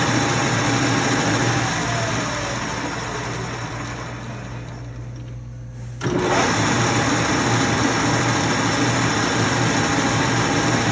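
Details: LeBlond Regal 13" x 30" engine lathe, headstock in high range at 654 RPM: steady, even gear whir that dips briefly and recovers, with no knocks or grinding. Normal gear mesh, not a ticking.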